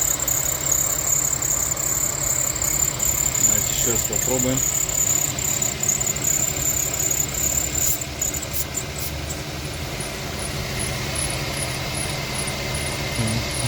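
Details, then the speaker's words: Infiniti FX35 at idle, about 2 minutes after WD-40 on belt dried: thin, high, repeating metallic screech like a bearing, but it is the worn drive (serpentine) belt; belt due for replacement. "Прошло примерно 2 минуты и слышим повторяющийся скрип ремня. А поразительно, что звук похож на звук подшипника, но это скрипит именно ремень его."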